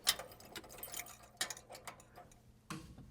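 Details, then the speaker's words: Ford Model A converted to electric with a plug-and-play kit, main switch on and key turned: about a dozen irregular sharp relay clicks over three seconds with no motor noise; normal contactor engagement, system ready. "You'll hear some clicking things enabling and it's ready to go."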